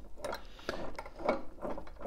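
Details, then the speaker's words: Aprilia RS4 50cc two-stroke, crankshaft turned slowly by hand with engine opened: uneven gritty scrapes and clicks each turn, deep scratches on left flywheel, fuel in crankcase; rough grinding crankshaft rotation, suspected after previous engine seizure. "du coup l'équipe mon diagnosticque pour C April RS ça va être assez simple pour moi il a eu un serrage moteur"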